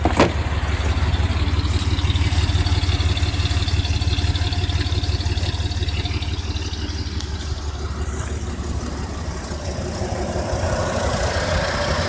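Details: 1992 Ford Econoline E-150 4.9L inline-six after Hurricane Irma: low lumpy rough idle in drive and park, uneven pulse near three beats a second with slight dips; Lucas oil additive didn't help.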